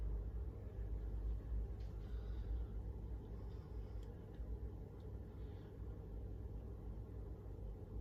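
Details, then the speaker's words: Chinese diesel heater (error E-08, pump fault) after fitting a replacement fuel pump: steady low fan rumble with loose ticking from the dosing pump as the pump symbol comes on and it fires; normal startup, repair successful. "Brilliant, there's the pump symbol come on and we can hear the pump clicking away there."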